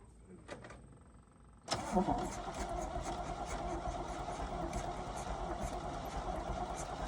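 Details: 1971 Chevy C10, new spark plugs, sticky ignition key: quiet, then engine catches abruptly and settles into a steady, slightly rough run after long storage.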